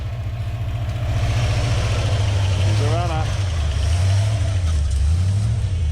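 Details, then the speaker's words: Bullnose Ford F100 V8 after sitting outdoors 11 years, with split fuel hoses due for replacement: a low, steady burble that picks up smoothly when revved and settles back; it runs and idles fine. "got some very suspect fuel hoses here they'll have to be replaced but we know she's running the bloody Beauty"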